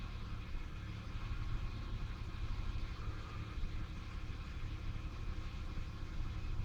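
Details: 1996 Ford Falcon EF 4.0L inline six: low, lumpy idle with speed dips in P, N or D; smooth under load, compression in spec, no vacuum leaks, timing chain tension correct. Idle misfire.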